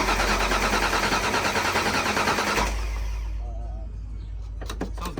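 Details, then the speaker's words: Foxbody Mustang project car cranking after a battery jump: starter spins the engine in an even pulse about three times a second but never catches; no start, suspected lack of spark, relay under seat to be checked. "so what happened was it's not starting so we got to take off the seat just like the red one"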